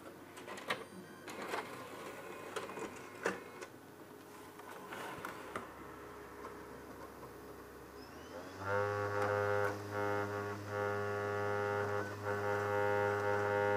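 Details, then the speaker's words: PS5 Blu-ray drive after replacing the faulty motor controller IC, original laser kept, FIFA 22 disc: smooth steady spin-up hum and even whirr with no grinding; a slight buzz is from the case not yet fitted correctly. Disc drive now works normally. "we get no grinding. I know there's a bit of a noise. The case is not correctly, so there we go."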